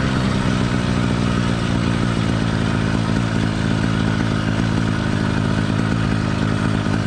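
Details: Cheap single-speed motorized bike kit two-stroke with single-circuit carburetor, cold warm-up phase: steady but lumpy uneven beat skipping into a heavier rhythm, four-stroking that is normal and expected for the first five to ten minutes.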